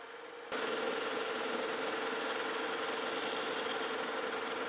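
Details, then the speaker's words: Lucas horizontal boring mill boring a Morse taper No. 5 tailstock adapter toward 1.5 in with a larger, more rigid boring bar; even cutting hiss, faint steady tone, much less vibration and chatter, smooth boring cut. "Well, guys, I went to a little bit larger boring bar after we opened it up just a little bit, and this is a lot more rigid, and I'm not getting as much vibration and chatter down in that bore."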